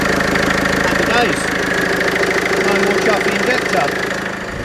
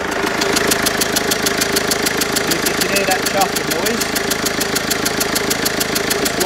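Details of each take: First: Mercedes Vito 2.1 CDI diesel at idle after all four injector seals (copper washers) were replaced to cure a leaking-seal chuffing; steady, even diesel clatter with no chuffing and no leaks, healthy running. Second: Mercedes Vito 2.1 CDI diesel, warm engine at idle: sharp rapid even chuffing about three per second, smell in cab; leaking rear injector copper seal blowing compression; all four injector seals being replaced.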